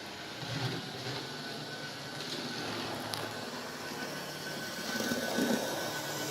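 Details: Märklin 37806 model locomotive motor running without the sound module after servicing: a faint steady whir with a light flutter, even with no knocks or grinding; normal motor running.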